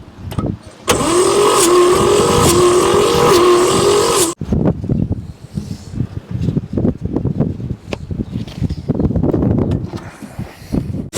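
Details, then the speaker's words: 1959 Chevrolet fleetside pickup sitting since the 1970s; about three seconds of fast, even starter churning with a wavering whine, no firing. Crank no-start, compression only briefly with oil in cylinders; suspected stuck or bad piston rings. "when I pour oil down the cylinders it'll get compression and then it immediately loses it after the oil is gone or after you crank it a few times which is the probably the the Rings are stuck or bad"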